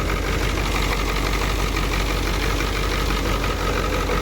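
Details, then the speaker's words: 1990 Ford F Super Duty, naturally aspirated 7.3 IDI diesel, warm idle before injector replacement: lumpy uneven idle with irregular knock every second or two; cylinder one injector leaking badly, another's pintle broken, likely missing on two cylinders; diesel misfire. "but you see that pin tile is broken so we're probably missing on like two cylinders no wonder is running so rough"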